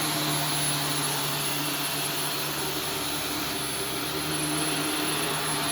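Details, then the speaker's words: Vacuum on carpet mode picking up Arm & Hammer carpet freshener powder: strained laboured roar, steady tone with faint pulsing, starved of air; powder-covered cyclone and filter choking it, bad for the motor. "you could hear the machine choking when it was running and yeah that's not going to be healthy for your motor"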